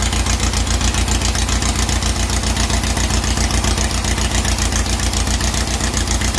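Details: 2332cc "Dust Buggy" bug after carb cleaning, new oil and filter, and mixture-screw adjustment that cured initial missing. Steady, even low thump at roughly 220 beats a minute with no stumbles or misfires: a warm engine idling cleanly, normal.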